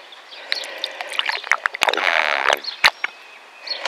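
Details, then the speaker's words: Sunroof drain retested with water after a wire was pushed down it and it was blown out with compressed air; irregular gurgles, splashes and sucking as water rushes freely down the drain: drain clear, draining as it should. "You can hear it sucking the water in. That's what I wanted."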